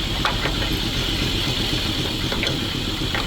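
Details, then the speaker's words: ZIL truck engine warmed at idle, radiator still cold, while hydraulic pump is bled; earlier periodically choked: steady even idle with faint light rattle, no knock or misfire; normal warm idle. "Let it warm up. It’s working fine at idle, the radiator is cold."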